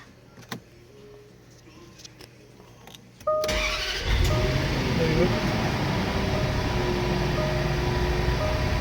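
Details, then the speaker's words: 2012 Range Rover Supercharged after a no-start repair: quick crank, catches at once, smooth steady idle. Earlier cranked but got no fuel despite a replaced fuel pump and module; fixed by curing CAN signal and wiring faults blocking the fuel pump. "we figured out the problem and we had some Ken signals blocking the fuel pump from starting and now the truck starts amazing"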